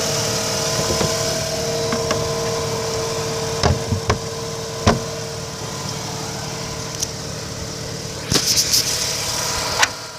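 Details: 2005 Mazda RX-8 rotary idling a day and a half after a rough idle, flashing light and white smoke. Coolant level is normal, a coolant seal leak is hoped ruled out, and the symptoms have disappeared. The idle is a steady, even buzz with no stumbling.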